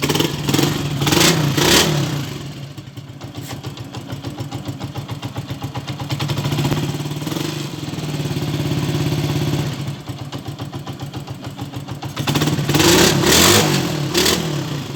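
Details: Small single-cylinder engine that had a valve-tapping-like noise caused by a broken pushrod: it revs up and drops back cleanly several times with an even idle between, and no valve tapping, sounding healthy.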